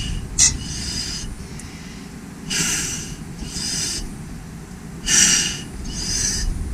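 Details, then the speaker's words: 1953 or 1954 VF Fowler crawler diesel, slowly hand-cranked with the mic under the engine: sharp hissing squawks about once a second as the injectors crack open, showing the injection pump is building full pressure; healthy. "to wind it over and we're going to hear what's called the injector cracking it means that the inject the fuel injection pump build up its high pressure that it needs for the injector and it needs that high pressure to uh to lift a valve and then the fuel atomizers"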